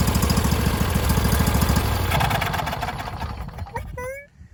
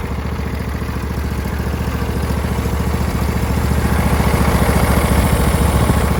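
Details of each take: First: Husqvarna YTH21K46 riding mower fitted with a Briggs V-twin, choke on: a rough, uneven chug about three thumps a second, then it stumbles and dies. The carburetor floods, and a new fuel pump didn't help. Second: Husqvarna YTH21K46 riding mower with replacement Briggs V-twin, carburetor that flooded severely, after new seal kit, choke out: even, steady putter about 214 beats a minute, smooth with no stumbling or flooding; problem fixed.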